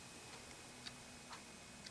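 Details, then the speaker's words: Clock after repair of a dead circuit board, where a faulty PCB contact was built up with solder: faint, crisp ticks about every half second in a quiet room; the movement now runs and ticks normally. "make sure we can hear it ticking when i get it all together i'm thinking you could hear it ticking a little bit over there"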